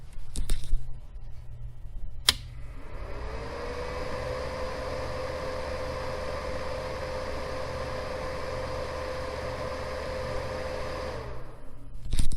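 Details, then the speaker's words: Cooling fan of an 800 W power inverter after oiling fix, mic moved closer: small fan spins up to a smooth, steady hum with no rattle or scraping, runs evenly until switched off; quiet, healthy bearing. "beautiful all right that was a success this oiling trick on the fan will work on computers anything that's got a small fan like this on electronics power supplies for computers other fans within the computer"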